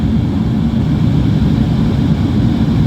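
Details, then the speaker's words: Mitsubishi Adventure with dual A/C: deep, steady roar from the underside evaporator blower, louder than it should be and worse at high blower speed. The A/C is cold but weak and dripping; the evaporator may be dirty and the drain may be clogged. "kung marumi na pagka tinaas ninyo yung blower, tapos lalo nang maugong."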